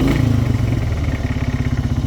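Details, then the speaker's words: Polaris Hawkeye 300 4x4 ATV while driving: rough rhythmic clatter over the engine drone, suspected from the CVT variator rollers, especially if the belt is worn; not necessarily serious. "by the variator rollers, especially if the belt is worn. You can hear that sound clearly from here, it's not necessarily anything serious"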